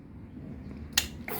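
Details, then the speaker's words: Honda CBR650F with an intermittent fuel pump and no start: a relay click, then a steady high whirr as the pump primes normally at key-on after two connectors were unplugged, sprayed with contact cleaner and refitted; wiring still to be checked. "ปั๊มติ๊กทำงานละก็มันไม่รู้มันเป็นอะไรนะเป็นผมถอดปลั๊ก2ตัวเนี้ยแล้วก็ฉีดโนกเข้าไปมันก็ดีขึ้น"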